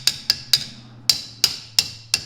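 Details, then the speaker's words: Garage door torsion spring tapped with a winding bar to check for binding: seven crisp, bright metallic pings ringing cleanly with no dull thud; spring free, not bound up, healthy. "But if it just sounds like a thud, like it's super tough, like it doesn't have no spring to it, like right now it's moving, you can't really see it. See how it's moving? It's moving. That thing's fine."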